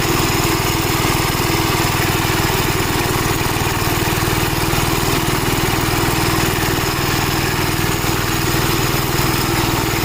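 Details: Gravely Model L tractor with governor, already run earlier, after its blown head gasket was replaced; steady single-cylinder beat at about four pulses a second, even and unbroken. Runs smoothly, though an oil leak remains to be found.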